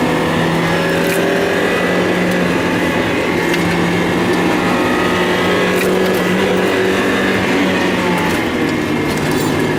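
Engine holds a fairly steady drone, but uneven puffs and a brief sag in pitch near the end point to a stumble and misfire.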